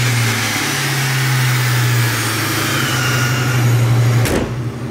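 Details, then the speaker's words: 1999 Ford Mustang GT with Vortech supercharger and Tial Q 50 mm blow-off valve: deep, steady V8 held at raised revs, then a sharp hiss as throttle snaps shut, blow-off valve venting; idle fluctuates from blower/charge pipe issue but runs great. "so it does have a tile Q 50 mm blow valve it sounds sick it really does especially driving you can really hear it"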